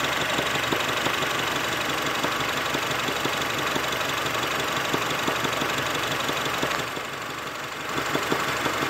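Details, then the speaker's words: Honda Civic at steady idle with a faint, regular knock from low in the block, about three per second; heavy vibration in the plastics, motor mounts being checked. "Okay, we're doing a video because I hear a slight knocking sound in the engine. Hopefully my mic picks it up."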